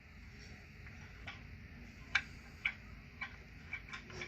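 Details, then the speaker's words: McCulloch PM610 chainsaw, clutch and spark plug removed, turned over slowly by hand and suddenly very tight: faint uneven sharp ticks about twice a second; suspected bottom end knock, not confirmed, crank play seems fine. "Hear that? Something don't sound good. It's like a bottom end knocker."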